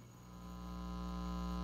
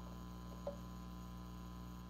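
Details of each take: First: Ampeg Portaflex B-15-N bass amp after repair, volume near full, nothing connected, mic against speaker: steady low mains hum with buzzy edge, loud at one end of the hum balance control, gone when centred. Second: Ampeg Portaflex B-15-N bass amp after major repair, volume cranked, nothing connected, microphone against the speaker, hum balance control set to center: only faint steady low hum with small clicks; quiet and healthy.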